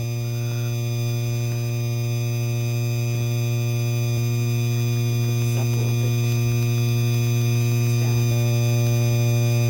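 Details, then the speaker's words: 52-inch Hampton Bay Landmark III Plus ceiling fan with light kit switched on: steady low electrical buzz with a sharp edge holds constantly once the light is on; electrical buzzing, cause undetermined. "Okay, here's the light. start flow. You could hear you could hear that buzzing noise"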